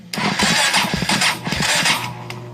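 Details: Kawasaki Prairie 400 ATV with shoddy wiring, after replacing the voltage regulator: starter whirs in ragged bursts with a few sharp pops as it tries to catch but never runs; cranks, almost fires, no start.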